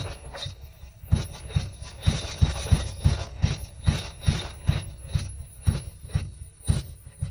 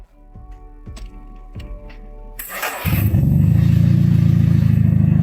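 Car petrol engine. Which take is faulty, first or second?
first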